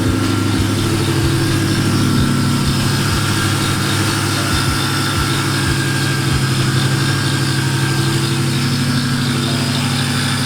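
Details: Nitrous SN95 Mustang 4.6 idling: uneven low tick about three per second with faint steady whine; suspected belt-driven accessory noise after belt tensioner work didn't fix it, not confirmed.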